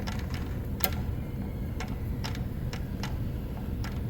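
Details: Replacement used six-speed manual transmission out of the car, its input turned by hand; soft, scattered light ticks over a low rumble, smoother than the removed unit, so this is normal gear contact.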